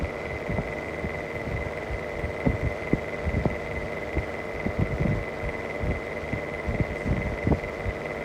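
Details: Mistral exhaust fan hums steadily with a high whine and uneven throbbing thump from a bad motor bearing.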